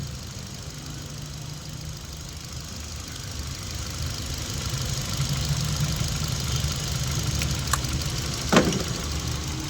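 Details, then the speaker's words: Hyundai i20 petrol idling with check-engine light, P0300/cylinder 3 misfire, jerking; uneven, lumpy beat missing about twice a second with one injector socket unplugged. Running smooths when reconnected; ignition coil checked next. "Number का socket निकालने के बाद भी missing कर रहा है दोस्तों। देख सकते हैं।"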